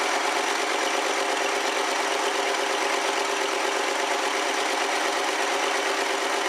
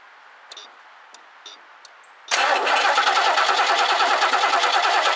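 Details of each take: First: 1969 Lincoln Mark III V8, just started with carburetor refitted; steady even running with smooth rapid beat, no knocks or misses; engine runs cleanly. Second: 1969 Lincoln Mark III barn find, carburetor just fitted, gas poured into carb mostly spilled outside: starter cranks evenly for seconds with no cylinder firing; owner suspects no fuel got in.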